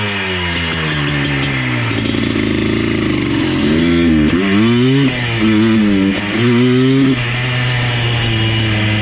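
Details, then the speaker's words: Yamaha Blaster 200 two-stroke ATV after a cleanout letting in more air: revs rise and fall, then stumble and nearly cut out under throttle; engine cutting out under load, suspected running lean, not confirmed. "Okay, I see what's happening now. We've added the ability for the machine to bring in more air. And because of that, there is obviously more air in the engine."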